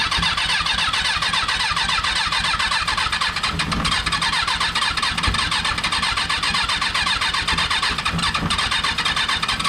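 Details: Freshly rebuilt Kawasaki 636 engine just installed, first start attempts: busy, fast, even cranking chatter that never picks up into a firing idle; cranks but won't start.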